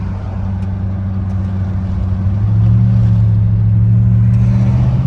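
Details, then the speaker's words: 6.0 diesel pickup on a test drive: deep, even drone rising smoothly under throttle with no knocks or rattles, no check engine light, normal healthy acceleration. "6.0 sounds good. 6.0 gets up, man. No check engine light or nothing."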